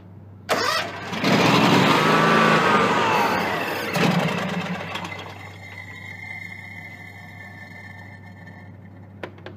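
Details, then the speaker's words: John Deere X300 rider, Kawasaki FH engine, 17 hours, brake cleaner in intake, hand over intake: starter spins briskly for a few seconds but never catches, then dies away; crank no start from stuck fuel shut-off solenoid. "try it again this time I'm going to put my hand over the intake to try to draw the fuel through this one's not going to do it this will have to have some carburetor"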